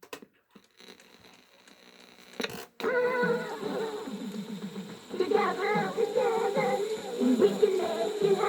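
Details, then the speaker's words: 1987 Playmates Jill doll cassette playback: taped voice warbles in pitch with a thin squeal; dry tape causing friction across the tape head. "there's friction going across the tape head that's why she's squealing"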